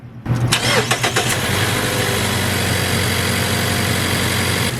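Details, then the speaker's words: 2014 Mazda CX-5 2.0L, about 140,000 miles, after replacing the bad spark plug that caused a misfire: quick crank, catches at once into a steady even idle, smooth even when power braked; normal start and idle. "nice and smooth even when I power break it"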